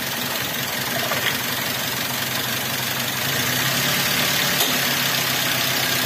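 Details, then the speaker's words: Avanza/Xenia with hunting, shaking and low power: limping idle that stumbles every few firings even after swapping the coil from cylinder 4 to 3. Misfire persists, not the coil; compression leak is suspected. "gak yo ingkang masih pincang masih pincang Joe di sini Nggak ngaruh tetep Joe"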